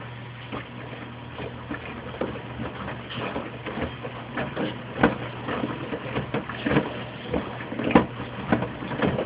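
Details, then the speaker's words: Mueller Special washer, Quick cycle at 60°C washing a big duvet: uneven hollow knocks about once a second over the churning. Loose detergent dispenser ball banging against the door, then removed. "The dispenser ball is banging against the door. Let me take this ball out."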